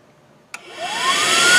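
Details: Dodge Avenger with code P2441 (AIR pump switch valve stuck closed), air pump commanded on via scan tool. A click, then a whirring whine climbs fast and settles to a steady high pitch; the secondary air pump runs normally.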